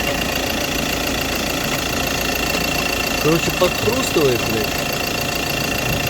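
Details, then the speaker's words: 2017 Ford Transit diesel at idle: irregular crunching clatter comes and goes periodically, usually when the air conditioning is switched on; source not yet pinned down. "I encountered such a problem as a crunching noise when the engine was running on a 2017 Ford Transit"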